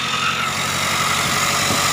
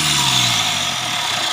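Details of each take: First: Mitsubishi Triton GLS 4D56 diesel at idle, recorded at the engine bay: steady high whine around 1.3 kHz, resembling a turbo but not one; failing alternator pulley one-way clutch bearing. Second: Mitsubishi Triton GLS 4D56 diesel after replacing the alternator with a solid-pulley unit: even run with only a faint high turbo hiss, the metallic bearing-like grinding from the faulty old alternator pulley gone; normal running.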